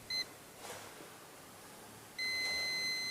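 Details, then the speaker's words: Perodua Myvi A/C with a previously replaced compressor: a hydrogen leak detector gives a brief chirp, then a steady high tone near the compressor, where hissing gas is also audible; the leak is at the compressor O-ring, repaired without replacing parts. "Dan dari sini pun kami boleh dengar bunyi hissing gas bocor."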